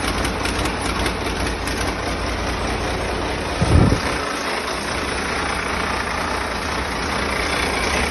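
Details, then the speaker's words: Freshly rebuilt diesel engine, first start, jumped at 24 V with an injector pipe off, oil pressure gauge rigged: catches quickly with a brief thump, then a steady, even low rumble at idle, no knocks, misses or leaks; normal start and idle. "It's started up very easy. And, uh, no major leaks or bangs."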